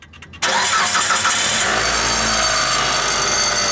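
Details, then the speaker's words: 2009 Mitsubishi Galant at startup and idle: a bright metallic ring-ring rattle like loose metal, likened to an ice-cream truck, nickels on a counter or a slot machine, from a broken-up catalytic converter; the converter was replaced. "ring-ring ring-ring ring-ring every time it started up it sounded like an ice-cream truck it sounded like a guy at the 7-eleven putting nickels on the counter it sounded like a slot machine going off"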